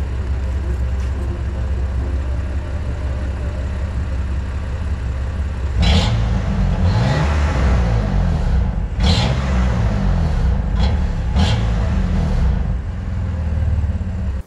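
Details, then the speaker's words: BMW M2 Competition (F87) after a Nürburgring GP trackday where power dropped under full acceleration: revving pulls with a light metallic chirp that grows with throttle; the owner hopes for an exhaust leak or crack, cause unconfirmed. "das twitchergeräusch ist noch immer ich habe jetzt eine Aufnahme gemacht wo man es ein bisschen hört je nachdem wie viel Gas man gibt also je mehr Gas man gibt desto größer wird das zwitchergäusch"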